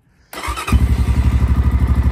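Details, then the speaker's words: XPro Templar X 250cc dirt bike, cold, after installing a 30mm Nibbi carburetor and loosening a tight throttle cable: a slow, even thump under about 1000 rpm; the idle screw is set too low, near stalling. "it says I mean it that doesn't sound like it's over a th000 if I back it out anymore it'll die that's too low"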